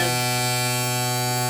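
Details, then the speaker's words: Former tanker truck now flatbed, switch flipped before cranking: steady loud fixed low-pitch electric buzz, the low air pressure warning sounding before air builds; buzzer cuts off once air pressure rises. "okay there's that buzzer let me push the clutch"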